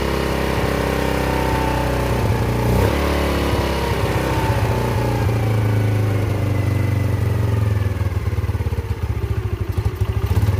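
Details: Yamasaki YM50 small two-stroke after carburetor cleaning and fuel replacement, battery connected, in neutral, choke off: steady buzzy idle that picks up cleanly when blipped and settles again; sounds healthy.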